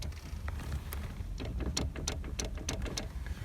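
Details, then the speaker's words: Clicking in a VAZ (Lada) steering column when driving or rocking the wheel up-down and side to side: sharp, irregular plastic clicks from the horn signal contacts rubbing inside; plastic shroud to be removed for repair. "Это здесь идет такая тема, короче, она передает контакты на сигнал, на руль. Вот, и вот эти контакты, они там цикотят, короче."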